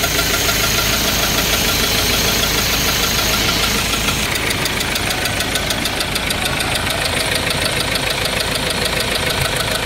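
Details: 2.2 engine, 6-speed, with white smoke and coolant mixed with oil: fast, steady knocking over a rough idle; piston rings suspected, cause not confirmed.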